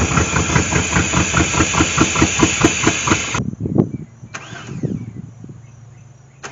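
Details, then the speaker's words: 1998 GMC Sonoma 4.3-litre V6, sat for years in swamp grass, fuel hand-poured down the intake: rough but fairly even firing for about three seconds, then it starves and dies; it runs only while bottle-fed. "let's try some actual fuel down there see if we can't bottle feed this girl"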